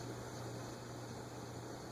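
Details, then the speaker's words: Moss HF-300 Hunter Original copy two-speed shaded-pole ceiling fan on a capacitor test rig: steady low motor hum with a faint dry whirring; suspected bearing noise from low oil, as it was never fully refilled. "that is bearing noise interesting I guess it needs some oil there was oil in it but we didn't completely refill it"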